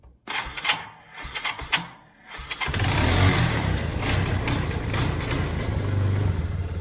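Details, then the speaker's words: 1999 Yamaha Bear Tracker 250 ATV after fuel flush and carb cleaning, Seafoam in float bowl, choke tried on then off: a few cranking bursts, then catches and settles into a steady, even single-cylinder run; smoke is Seafoam burning carbon. "I put seafoam in the bowl, so that's what that smoke's coming from. It's just seafoam burning a little carbon off the top of the piston and let that flow through that jet hole."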